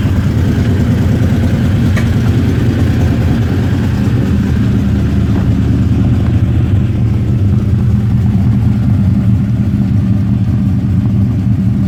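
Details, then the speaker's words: Engine Masters competition hot rod V8 on baseline tune, idling before the chassis dyno: strong even low rumble holding steady, no misfires or ticking; healthy idle, drives well. "So like I said earlier, I have a baseline tune-up in it. It starts fantastic. It's drives down the road good."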